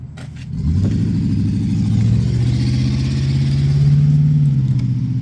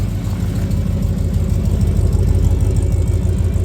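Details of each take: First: 1994 Ford F-150 V8 before repairs, missing badly on a passenger-side cylinder, tapping, oil pan leaking: lumpy, uneven low pulse with a stumbling beat instead of a smooth rumble as it picks up; engine misfire, not a cam. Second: 1994 Ford F-150 V8 after oil pan gasket replacement (earlier missing on passenger side; oil pressure sending unit failed): deep, even exhaust rumble at steady idle with no misses or knocks; normal idle; owner thinks he hears a leak.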